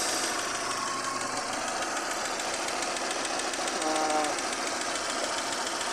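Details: 2011 Hyundai i10 petrol after overheating repair with intake, exhaust and timing belt refitted, just started: quiet steady idle with light even ticking over the hum, no misfire or hunting; normal idle.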